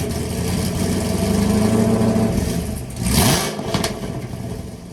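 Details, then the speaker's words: 2016-2020 Camaro SS V8 after replacing a leaking exhaust gasket (ticking first suspected as a lifter): even idle climbs smoothly under throttle and drops back cleanly, no tapping on startup or at any rpm; healthy running, stock muffler still fitted. "no more noises, no more tippity-tappity on startup, and you know, no more tippity-tappy at whatever RPM we were hearing it before."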